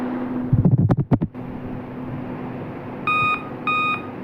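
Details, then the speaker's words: Dell laptop at power-on before servicing: five evenly spaced short beeps about half a second apart, the code indicating a failed CMOS (BIOS) battery; fix is replacing the cell. "देखिए यह बोला है ट ट ट ट एक दो तीन चार पांच यदि पांच बार भी आपका लैपटॉप कर रहा है डेल का लैपटॉप है तो समझ लीजिए आपका बायो सेल का इशू है बायो सेल चेंज कर लीजिए तो आपका इशू रिसॉल्व हो जाएगा"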